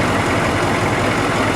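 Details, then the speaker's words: Humvee HMMWV diesel idling right after the glow plugs and start box cycled four or five times; gauge now in the green, wait light off, no more cycling. Even gravelly clatter at a constant idle, no misses or knocks: normal. "Now it's in the green. No more cycling, no wait light on. Not cycling, perfect situation."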